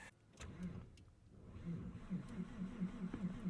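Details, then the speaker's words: 1999 Porsche 911 Carrera 4 (996) at Tail of the Dragon: quiet, steady low chugging of the starter, engine never catches, worse than usual; long crank, hard start, later starts with backfires and stalls. "that's worse than usual oh i love that we just put a deals gap sticker on the card now it won't start"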